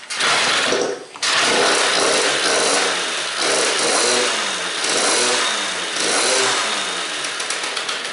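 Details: Derbi Senda/Gilera two-stroke with an aluminium single-ring cylinder that had compression and spark but wouldn't start. On its first start after repair, with the carburettor primed and on choke, a high buzzy rattle fires, dips once, then holds a steady raspy run with no knocking. Normal running.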